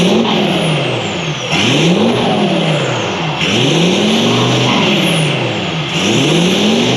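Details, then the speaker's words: VW Touareg V10 TDI twin-turbo diesel after engine reinstall, tuned ECUs, deleted, full straight-pipe exhaust with custom downpipes: repeated quick revs rising and falling every couple of seconds, loud open exhaust, clean response; normal healthy exhaust note when revving. "But with that being said, appreciate you guys watching, and we will leave you with a little exhaust note."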